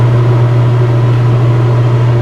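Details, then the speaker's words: Newly replaced Dometic RV roof air conditioner in cold winter weather, fan switched back to low: steady low hum with smooth even airflow rush, no rattles or pulsing; normal fan operation, likely too cold for compressor to start. "yep we have high fan now it's way too cold today i believe for the compressor to come on"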